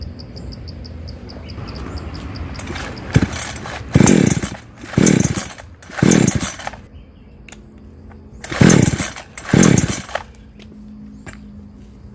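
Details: Chainsaw that starts and then dies, with weak spark: it blips up in uneven bursts about once a second, then sags and can't hold revs, from a deteriorating ignition coil.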